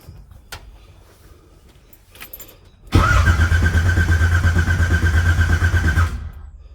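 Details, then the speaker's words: 1980 Pontiac Trans Am V8, first start after distributor install and new TH400 build: even cranking, about three beats per second for three seconds, never catches; no fuel pressure yet, cranking to get fuel up to the dry carburetor. "well we ain't even got no fuel pressure yet so if you want to take a little bit of cranking get some fuel up there"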